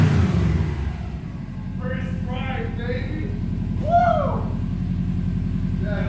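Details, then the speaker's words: Subaru STI engine swapped into GC8, first start without radiator: even, steady low four-cylinder rumble at idle, no knocks, misses or rattles; runs smooth and healthy, normal idle. "I'm not sure if you can tell, but it's running super smoothly right now."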